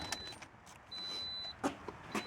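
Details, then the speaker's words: 2011 Toyota RAV4 V6 FWD that shifts poorly and needs a transmission, running: thin, steady high-pitched whine that comes and goes. The transmission fluid had not been changed; the transmission pump is suspected. "you can hear the transmission whining um it doesn't shift very well I believe that wine is coming from the pump"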